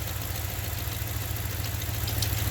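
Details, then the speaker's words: 2015 Ram 1500 5.7 Hemi idling with the drive belt removed: a quick, even ticking knock keeps pace with the engine. The noise is internal to the engine, not the pulleys. "se oye y se oye qué significa esto el ruido lo tenemos internamente no un río lo tenemos con la parte del motor"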